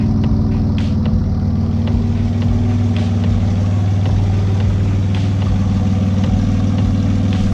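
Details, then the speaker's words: Twin-engine Mazda MX3 project idling with no load before tuning: steady low rumble with an uneven, loping pulse, judged by ear to be running very lean, a rough lean idle. "And by ear right now, I can tell you that it is lean. It's running very lean, which is bad, obviously."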